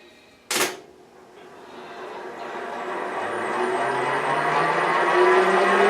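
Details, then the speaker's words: J44 turbojet motored on its starter for the first time since the accessory drive was restored and reinstalled; a thump, then a smooth rush and thin whine climbing over six seconds. A faint rattle is thought to be a bearing that always made slight noise. "what pretty smooth i think you could stop that from hurting okay good got a little bit of a like the rattling yeah that's i think that's the bearing it always made a little bit of noise but that's okay"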